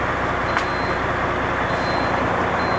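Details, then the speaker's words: International 9400 with a ZF AS-Tronic gearbox, previously not driving, now with clutch releasing and input shaft at zero: steady high half-second reversing beeps over a loud diesel idle; reverse engages and the truck tries to move. "видим заднюю та машина пытается ехать передача включилась"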